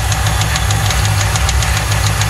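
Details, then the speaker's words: Original 4.6 DOHC V8 from a 1995 Lincoln Mark VIII, run with no oil: steady hard, deep metallic knock about six times a second over a rough idle; likely rod knock, engine needs replacing. "sadly this story doesn't end well it sounds like it's got a rod's happening she's gonna need a motor"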